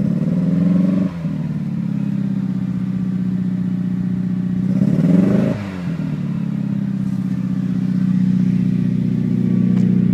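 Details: Modified Mitsubishi Evo (bolt-ons, Walbro 255 pump, 1200cc injectors) on cold start at 39°F: cold idle stumbles with lumpy, irregular beat and sagging dips; misfire setting SES light, code Misfire Cyl 1.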